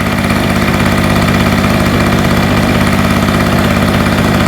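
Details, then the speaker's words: Hurricane 850W 240V two-stroke generator after its loose spark plug was tightened, warming up: a steady, slightly uneven, burbly buzzing idle, still very smoky. The fuel probably has too much oil in it. "That's crazy. Let's let it warm up. See what happens. Trying to get warm now, but it's really It's still very smoky."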